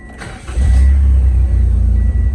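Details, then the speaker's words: Starion/Conquest G54B, after new spark plugs, timing set to 10° BTDC and ECU tuned by laptop: brief crank, quick catch and steady even low idle with no misses, normal start. "and once i did the spark plugs she actually uh cranked up and was normal"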